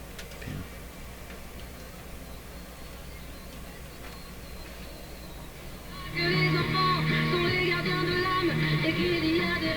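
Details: Nordmende Norma Luxus tube radio after work on poor 6AQ5 tube socket contacts: a few seconds of AM band music come through clearly over a low, steady hum, with no crackle or dropouts; clean AM reception.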